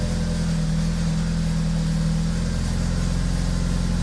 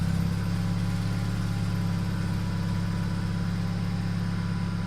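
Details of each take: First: BMW Z4 with swapped N20 turbo engine, after boost leak repair: steady idle with light fast rattle from the rear exhaust valve that switches between loud and quiet modes; flap valve to be fixed next. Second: BMW Z4 with swapped N20 turbo engine after boost-leak repair: steady, even low idle with a smooth drone, no misses, hiss or knocking; known rattle comes from the exhaust flap valve, to be fixed later; idling normally.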